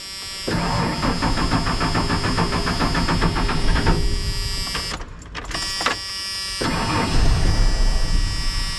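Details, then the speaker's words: 1994 Ford F-150 4.9 L inline six being driven slowly: engine surges and sags unevenly, nearly dropping out, running rough; serious fuel pump issues causing rough lean running. "It may not for us, guys. We have some serious fuel pump issues."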